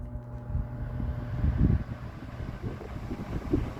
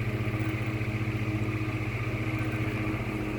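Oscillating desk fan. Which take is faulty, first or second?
second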